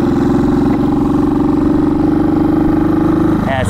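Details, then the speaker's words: 1970 Honda CB350 after sitting a year, on a road ride: twin note holds one flat pitch and won't climb as the throttle opens, bogging out of first; owner suspects old gas or low battery charge (battery 12.96 V). "bogging bogging a little bit old gas maybe I don't know little boggy like she should rip out of first"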